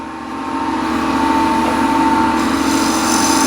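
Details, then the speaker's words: Woodturning scraper with a grinder-sharpened burr, cutting a ball with a light touch on the lathe: a steady, quiet high whistle over a smooth hiss, with no grabbing or chatter. This is a clean scraper cut. "I hope you can hear the whistling sound really nice um smooth sound there is no grabbing there is no fighting or anything"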